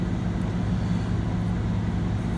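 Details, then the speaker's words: 1994 Ford F-150, 4.9L straight-six, five-speed manual, after replacing the idle air control valve to fix a rough idle on cold start: smooth, steady low hum with no hunting or stumbling. Normal idle. "well seems like that should work well I'm glad the truck is running nice and smooth"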